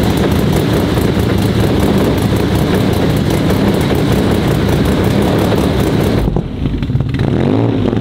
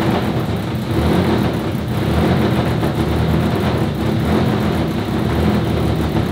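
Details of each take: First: Audi RS4 sedan with freshly built engine on only its third start, being tuned while still chasing an oil smoke/leak issue: loud steady but uneven drone that drops away near the end; still running rough during early tuning. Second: RS4 Limo 2.0 project engine, warm start, while the cause of its smoking is being sought: an even, steady idle with a smooth low hum and no stumbles or knocks, running noticeably smoother and cleanly.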